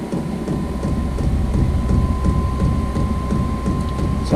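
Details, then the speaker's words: Vevor 5 kW 12 V diesel air heater, first startup on battery at level one: steady fan whine over an even low roar without surging or popping; lit and burning cleanly, though outlet air not yet very warm. "a jet engine fixing take off oh yeah it's lit I can smell it feel the hot air coming out of that"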